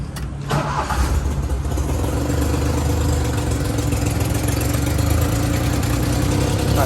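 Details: Daihatsu HiJet mini truck after head gasket, timing belt, water pump, bearings and valve cover gasket replacement: cranks briefly, catches cleanly and settles into a steady idle; idle turned down for an exhaust leak.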